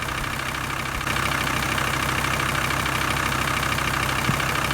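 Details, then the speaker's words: VW T4 2.5 TDI van idling after about five minutes, following fuel sender unit and fuel filter replacement for air ingress: steady even diesel tick-over, no stumbles; no air bubbles coming through anymore. "right well i've had it running for i don't know about five minutes or so and there's no air bubbles coming through everything seems all right"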